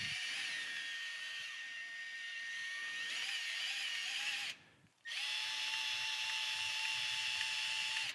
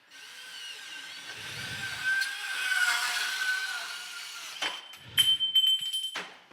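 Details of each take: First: Milwaukee cordless sub-compact band saw running with its cover open: high motor whine with a faint scratchy rasp, a rubbing sound traced to one band wheel, the other one rather than the first suspected. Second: Milwaukee cordless subcompact band saw cutting metal conduit with rest pushed against work; light motor whine with smooth blade rasp, no chatter or rattle, clean cut.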